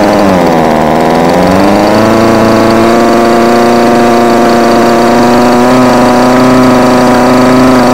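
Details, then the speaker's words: Homelite UT20042A string trimmer with new C1U-H60 carburettor, warm, wouldn't idle: two-stroke buzz dips then climbs and settles higher and steadier as carburettor mixture screw is adjusted at throttle. "it has them now as I'm tuning the carburetor only be holding down the flatter once we get to the high"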